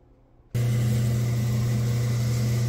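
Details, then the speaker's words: Rock slab saw with a just-repaired auto shut-off switch and a slow screw-driven carriage. Silence, then the motor starts into a steady, even low hum without surging or rattling; a healthy start. "all right so uh yeah it's running this may need to go for a minute so I may clip this out we'll see how long it takes but uh you know it's pretty slow slow screw driving the carriage through"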